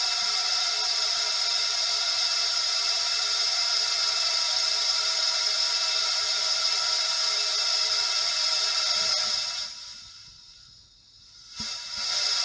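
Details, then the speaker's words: Honda ST1100 Pan European cylinder leak-down test at 7 bar: steady high hiss from the bottom end, fading near end, exhaust almost inaudible; minor air loss past rings, cylinder holding pressure well. "donc voilà quoi quoi à part le bruit qu' l' entend qui s'écoule dans le le bas moteur"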